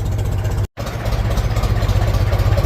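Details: Gas-powered old International tractor just after cold start in snow, in neutral, choke pulled, idle at 425 RPM: low even steady chugging with no misses or knocks; normal healthy idle.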